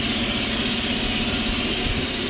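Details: Ingersoll Rand T30 air compressor run on single-phase power through a Huanyang VFD: even, steady hum under a constant airy hiss with no knocks or rattles; running smoothly and healthy.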